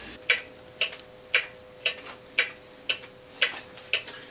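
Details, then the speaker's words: Antique cuckoo clock after bushing work and regrinding the escapement wheel teeth, running on a 2 lb 9 oz weight instead of nearly 4 lb: crisp, even tick-tock about two beats a second; in beat and healthy. "okay as you can hear the ticking sounds much better the balance numbers are far better than they were"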